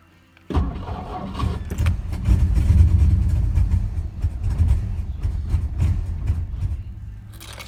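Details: 1963 Studebaker Lark off the road since 2010: catches after cranking and runs unevenly, surging and sagging for several seconds; struggling, rough running after start.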